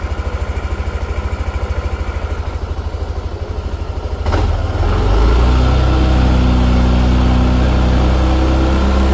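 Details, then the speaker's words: Yamaha NMAX Neo S on Castrol Magnatec 10W-40 oil, cold engine after about 30 hours unused: even low putter at idle, then a quick blip and a steadier, fuller hum as it warms; no knocks, normal cold idle. "tadi kan itu tak panasin tak panasin di awal video itu e setelah 30 jam sekitar 30 jam 30 31 jam enggak dipakai posisi mesin dingin ya suaranya seperti yang ada di awal video"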